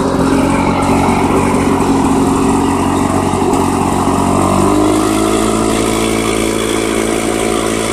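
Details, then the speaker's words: Restored 1991 Lawn Boy L21ZPN two-stroke mower after repaint and muffler replacement: steady, even buzz, pitch lifting slightly partway with no misses or knocks; healthy running. "So yeah, that's pretty much it. I'm going to start it up and let you hear it run."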